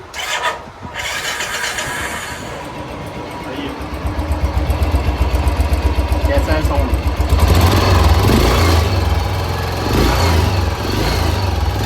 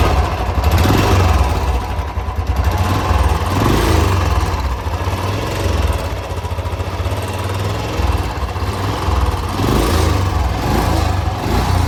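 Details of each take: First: Royal Enfield Bullet single-cylinder after engine opened and rebuilt for a loud engine noise complaint: short crank, then an even steady thump settling into idle with no top-end ticking or clatter; noise gone, normal idle. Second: Motorcycle engine running with an uneven busy internal mechanical clatter over the exhaust beat; excessive engine noise, cause not yet determined before teardown.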